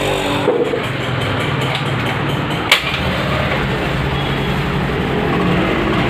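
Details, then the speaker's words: Honda Activa 6G scooter with a substitute ECM main relay fitted; a faulty relay would stop kick starting. One kick catches at once and settles to a steady, even idle with no misfires. Normal kick start and idle. "பார்த்தீங்கன்னா கிக்கில் start ஆகிடுது."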